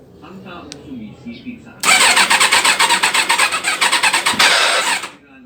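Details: Old carbureted 400cc big bike. Starter cranks about three seconds with uneven chuffing compression beats but never catches; carburetor overflow suspected, not confirmed. Hard starting.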